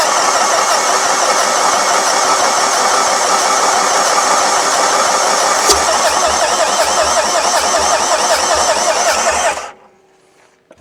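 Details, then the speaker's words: Long-parked non-running Renault Master diesel van: steady rhythmic cranking for about ten seconds, never firing, then the starter stops. Low compression is suspected, possibly after earlier head-gasket work; not confirmed. "Don't seem to have any compressions, does it?"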